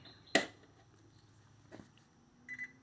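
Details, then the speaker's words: Golds Gym Trainer 410 (GGTL39610) treadmill, circuit board cleaned after outdoor storage, motor belt off: switch click then short high double beep as console powers on and LED lights; normal power-on. "you hear it beep and you see the light is on on the LED"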